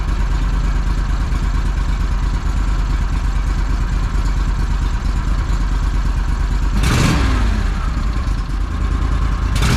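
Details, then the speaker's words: Argo ATV engine after fixing a throttle cable sticking open (throttle handle pushed on too far, pulled back just under a quarter inch): steady mid-pitched drone with brief blips, then even idle; throttle returns properly to idle, normal. "one little adjustment a couple of screws five minutes at a time and it's fixed"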